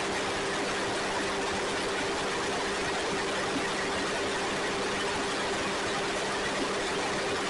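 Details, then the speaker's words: Ford 2N tractor (serial believed 1946), sat outside without tires until two weeks earlier, now started and being driven a little: even, steady low drone with no knocks, misses or stumbles. Normal running. "and there we have it it's running pretty cool"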